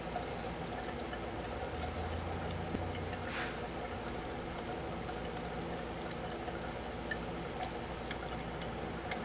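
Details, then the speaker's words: 2003 VW Beetle 1.8T with boost and misfire codes: the N249 boost control valve clicks faintly once or twice a second over a vacuum-pump hiss during a scan-tool output test. The valve works, so a faulty diverter valve is suspected. "and we can all hear it working but what I want to do is see it working so we know that Scylla Nord is working"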